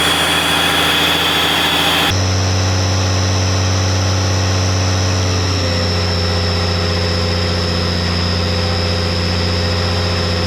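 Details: 12 valve Cummins diesel warmed up for head stud re-torque: steady low clatter at idle, even firing, no knocks or misses, settling smoothly after a slight speed change; ran about 15 minutes, sounded great, healthy warm idle.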